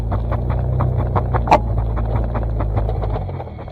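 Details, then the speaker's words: BMW drift car with welded differential, slow turning in a parking lot: low drivetrain drone broken by rapid irregular chirps and chatter as inner tire skips. "you hear this resonance the whole drivetrain that just sounds like this big chatter almost"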